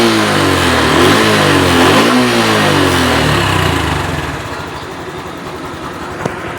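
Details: Honda Wave 110i engine after reassembly with the timing chain sprocket refitted, revving up and down smoothly with a clean, even exhaust note and no howl rising with revs; the earlier howl was traced to a faulty cam bearing.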